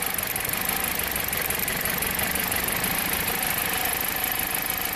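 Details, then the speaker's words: 2007 Jeep Compass four-cylinder at idle with an intermittent cylinder 1 misfire, codes P0301 and P2302 for coil 1 ionization; uneven, stumbling beat about three lurches a second, recreated by wiggling a broken ignition coil harness wire. "and it is setting the read fault code is 302 ignition coil 1 secondary circuit insufficient ionization and multiple cylinder misfire so playing around with it but p0301"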